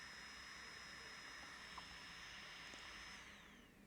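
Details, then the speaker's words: Kandao 8K 360 Pocket camera while powered on: a thin, constant high buzz with steady tones that slides down in pitch as the camera shuts off. It is the internal cooling fan, which buzzes the whole time the camera is on. "Oricum e interesant Cum se aude Deci toată ziua bâzâie dacă o ținem pornită"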